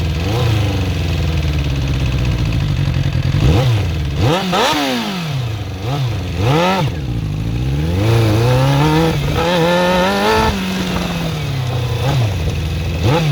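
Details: Suzuki GSX-R400 (RL) motorcycle engine blipped up and down repeatedly: light top-end clatter riding over the revs; owner suspects valve shims or timing chain, unconfirmed.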